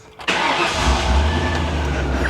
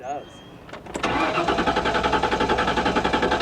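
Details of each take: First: 1998 Ford Explorer, about 26 years old, after locating a wiring fault, fully charged spare battery; catches instantly on first crank and settles to a steady even idle, no ticking, knocking or smoke; normal start and idle. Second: 1998 Ford Explorer, spare fully charged battery, about quarter tank, theft light out with first key; door chime then even healthy cranking about four turns a second with no firing; crank no start, failed fuel pump.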